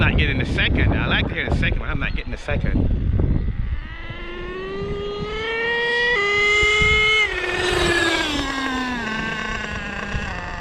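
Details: Savage X46 nitro RC car, first transmission adjustment after rebuild with all-metal gears, setting 3rd-gear shift point: engine screams up with only one clear step change; 1st-to-2nd shift not heard though it reaches 2nd-gear speed.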